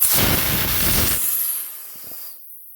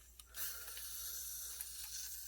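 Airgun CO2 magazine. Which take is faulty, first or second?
second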